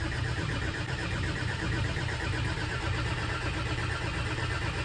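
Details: Farm machine diesel that would not start despite battery charging, new earth wires and a new fuel pump, now bled of air bubbles: even, steady chug with no misses once fuel gets through. Running normally.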